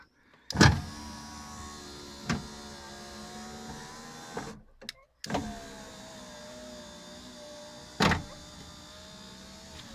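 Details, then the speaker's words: Renault Laguna power window after replacing the broken plastic regulator stop and greasing the rail where the new part stuck: motor hums steadily as the glass travels, with clunks at each end stop and a slight whir; works normally. "Un petit bruit, mais c'est vrai que la pièce que j'ai mise, j'ai eu un petit peu de mal en fait parce qu'elle coulissait pas. Donc il a fallu que je rajoute de la graisse dans le rail."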